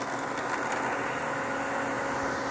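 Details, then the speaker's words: Variable speed pool pump dialed down to 2,600 rpm, about 48 gallons per minute, after cavitation at 2,750 rpm: steady, even hum with smooth rushing water and no gravelly rattle; normal run without cavitation. "so let's go ahead and dial this down so we don't get any cavitation at all I don't hear any cavitation 2,600 rpms or 48 gallons per m"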